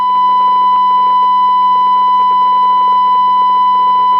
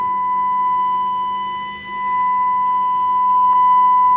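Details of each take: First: Hong Kong-made CB radio with crackling on both receive and transmit: irregular crackles and pops over a steady whistle-like tone from the speaker. The suspected cause is a noisy inductor. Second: Radio after its crackling inductor was swapped for one from a scrap chassis: a steady, pure 1 kHz test tone from the speaker, free of crackle or buzz. The audio fault is fixed.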